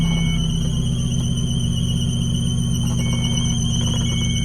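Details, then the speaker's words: Mazda Miata on a test drive with two new belts fitted, the alternator belt felt tight: a steady high-pitched squeal over engine and road rumble, the belt slipping; it fades after a while. "And that's screeching. And I hate that screeching because we just put two new belts on."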